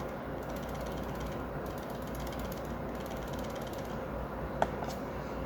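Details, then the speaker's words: Glorious Model O Pro mouse, white unit returned to Glorious: severe, fast dry clicking rattle as it moves, loose plastic inside shell; source not identified, unlike another unit whose rattle came from a button. "And that definitely shouldn't be happening on a $100 mouse. And unlike this version, where I was able to identify that that rattle was coming from one of the buttons, for the white version, I wasn't able to identify where it was coming from."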